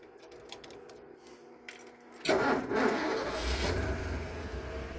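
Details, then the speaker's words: 1948 Ford, test start after replacing or rebuilding the entire fuel system and reassembling the carburettor: the starter catches quickly and the engine settles into a smooth, steady idle without misses or knocks. Normal start and idle. "Listen to that. Pretty smooth. I'm pleased."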